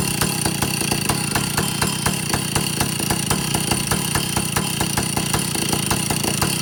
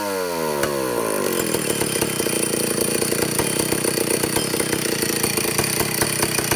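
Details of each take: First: Vintage Stihl chainsaw two-stroke, test run after fixing air leaks and overhauling carburetor (high 3/4 to one turn, low 7/8 to one turn out, target idle 1,800, top no more than 10,000 rpm): fast even firing stuck at one speed, won't rev fully; owner suspects a third carburetor circuit. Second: Vintage Stihl chainsaw (051/075/076, spec 9,000–10,000 RPM) after air-leak and fuel-system repair, high-speed needle tuning aiming for 3/4–1 turn open; peaks about 9,400 RPM. Revs up quickly, holds clean steady high scream without bogging or four-stroking; carburetor set right.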